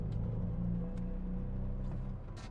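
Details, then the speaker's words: BMW Z4 in second gear under hard acceleration: a heavy, flat, choppy drone from an engine misfire. It won't rev past 3000 rpm and goes into limp home mode. "The engine's misfiring and I can't really accelerate the engine past 3000 RPM because it goes into limp home mode. And now it sounds terrible."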